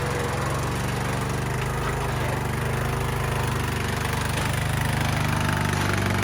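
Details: Craftsman LT1000 yard tractor, long unused, after new battery, tune-up, fuel lines, oil and filter change, new spark plug: even, steady single-cylinder putter with no knocks or misses; runs smoothly.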